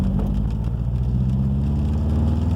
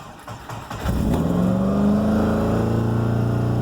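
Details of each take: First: Subaru Forester after new coils, plugs and wires for a rough-running, poor-idle problem, accelerating in second gear from 1,000 to 3,000 rpm and on to 4,000: smooth even pull, no misfire; owner believes a spark issue was fixed. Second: Subaru Forester just given new coil and plugs, ECU faults cleared, new part fitted after rough running; cranks, catches, then races to about 4,000 rpm and holds a fast high idle without settling, so shut off: high idle.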